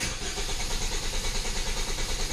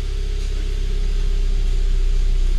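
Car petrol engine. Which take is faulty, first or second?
first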